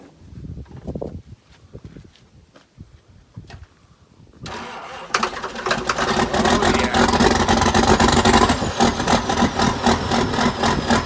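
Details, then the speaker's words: John Deere 790 excavator, 1980s, bought cheap, started with ether: after some clatter the diesel settles to a steady, even low idle, not idled up, no misses or knocks; running well. "sounds great oh man you can't touch a machine like [Music] this it's not even idled up so no no i think it's a pretty good machine"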